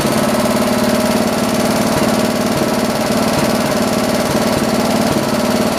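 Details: John Deere 112 round fender tractor with a Kohler K181 single-cylinder, after governor and throttle assembly adjustments: a steady, even thump with no hunting or surging. Running normally; the owner thinks the idle needs lowering a little.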